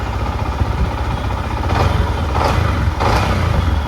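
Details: Yamaha MT-15 at idle after tappet and VVA rocker clearance adjustment to fix a rocker ticking noise, check light now off: a steady low idle with light throttle blips and no top-end ticking; the valve train sounds quiet and healthy.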